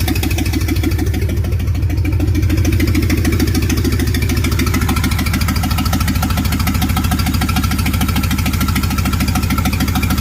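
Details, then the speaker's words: Replacement engine for 1947 Plymouth Special, sat since 1975: heavy lumpy idle with uneven chuffing beat, several cylinders not firing; plug wires on in wrong firing order; later found dead on three cylinders, 40 psi oil pressure. "you didn't move the distributor or nothing down there did you I just put the wires off in a little different thing"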